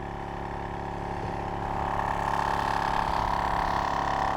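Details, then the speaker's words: Tyre compressor powered from a Noco Genius Boost Pro GB150 lithium jump starter in override mode, below its rated 13.8 V; steady motor hum with a slow even pump beat near 160 per minute, still inflating the tyre; running slow on low supply voltage. "Now, it doesn't sound as fast as when it's running off a car, but it is pumping that tyre up."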